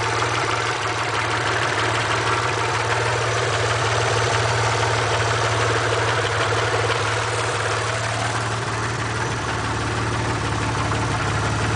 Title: Lifter tick?